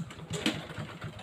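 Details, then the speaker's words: Honda Blade (small-body) motorcycle that suddenly lost compression; kick-start spins freely with fast, light, even thumps and no compression resistance. Mechanic suspects the cam chain has come off. "Ini motor blit ya Blade ini yang bodinya kecil ini tiba-tiba hilang kompresi alias dkol itu ngelos Lur ya diengkol ngelos"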